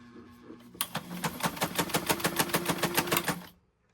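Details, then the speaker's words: White model 1563 sewing machine, long stored in a garage, before cleaning and oiling: sharp regular clacking about three times a second while running, louder than it should be; knocking of unknown cause, may need a major overhaul. "So, again, it's making a noise. um by the sounds of it might need some a major overhaul."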